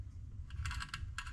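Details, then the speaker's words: Ford Mustang Coyote alternator removed after it failed at Mustang Week, pulley wrecked: spun by hand it gives uneven gritty clicks and crunching instead of a smooth spin; bearing worn out, replaced with new alternator. "Oh my god. Listen. You can just hear the crunchiness. Oh my god. Yeah. That one's just done for."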